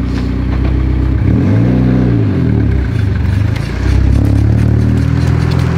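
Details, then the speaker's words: Car on first drive: engine revs rise and fall under a faint repeating knock following road speed, only in gear, seemingly from a wheel or brakes underneath, not reproducible on the lift; cause not traced. "where the [ __ ] is that coming from it's like underneath your car it's from the wheel i think it's only when it's in gear it's like it's based off the wheel speed but it won't do it on the lift"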